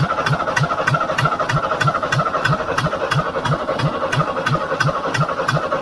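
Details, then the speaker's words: International B414 four-cylinder diesel tractor after sitting 20 years, started with ether and long cranking, still on old sludgy oil: steady even low chug around three beats a second; normal idle, runs okay. "oh that's brilliant it doesn't actually sound too bad once it gets running but it took a bit of winding over I had to throw some ether at it but um once once it's going it seems to run Okay"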